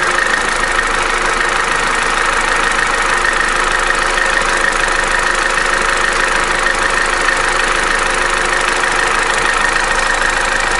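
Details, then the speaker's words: Opel Corsa D, A14XER 1.4 engine, 65,000 km, codes P0011/P0014, idling while warming up: busy metallic clatter from one side of the engine. Low oil pressure was suspected; the timing chain was found slack and needs replacing. "стучит где-то вот с этой стороны такое ощущение что недостаточное давление масла"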